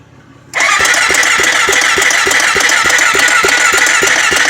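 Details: Honda 400EX ATV: starter whirring steadily with quick even compression pulses, about three a second, but engine never catches; cranks, no start.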